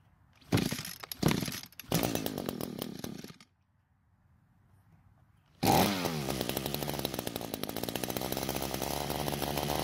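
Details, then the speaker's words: Echo GT200R two-stroke trimmer fires and buzzes raggedly, dies after about three seconds, then restarts with an uneven run. It won't stay running unless choked, which suggests it needs more fuel and a carb tune; cause not confirmed. "now the good news is that it starts and runs but the bad news is it doesn't want to stay running however the test runs did show us that the engine stays running when the carb is choked which basically gives the engine more fuel than air"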